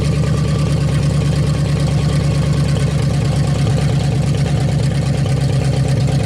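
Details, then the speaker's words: 1956 Studebaker Golden Hawk V8, first start in 50 years, carburetor and mechanical fuel pump working; deep steady idle burble, even firing, no knocks or misses; running good, needs a little fine tuning. "so there you go folks running good uh just some little fine tuning to do there but carburetor's doing good fuel pump's doing good"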